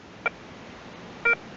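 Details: Garrett ACE 150 metal detector switching on; two short clear high beeps about a second apart over quiet hiss: normal power-on start-up tone.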